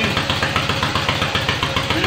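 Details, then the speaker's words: Yamaha XS650 dual sport build, running after two months of work, before its break-in test ride: quick, regular twin beat of about ten pulses a second, steady with no misses; normal running. "well you see that she's running fine now we got her going everything to do it now she just needs to be test rode out there"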